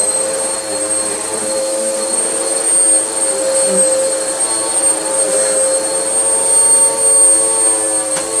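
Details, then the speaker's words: Vax Power U84-M1-BE upright vacuum after motor repair, previously sounding about to blow up: steady smooth motor roar with clean even high whine, no rattle or wobble; normal vacuum motor run, repair a success. "think we can call that a success. It's still a horrible machine to use, but it does work."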